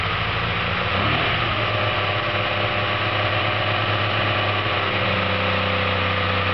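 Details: Skoda 120GLS engine at its first start after assembly; steady even idle with a constant low rumble and no change in speed; engine simply running at tickover.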